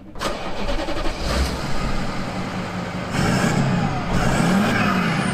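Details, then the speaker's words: High-mileage VW Touareg V10, started via dash-mounted ignition: starter catch, then smooth, even idle with deep steady hum, no knocks or misses; normal start and idle. "sounds all right sounds right"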